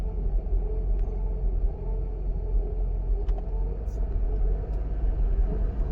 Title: w140 issue, rough idle after 1 hour driving.